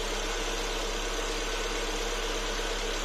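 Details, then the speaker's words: Lada Vesta idling after adjusting the adsorber (purge) valve, partly closed with a 40/15 key, to cure its rattling knock: smooth, even idle with steady low hum, no clicking or rattling; normal purge valve operation. "таким образом за пару минут мы устранили шум клапан абсорбера мы его не закрыли полностью до сих пор работает но уже назойливый звук шум исчез звук стал более комфортным ровном тихим"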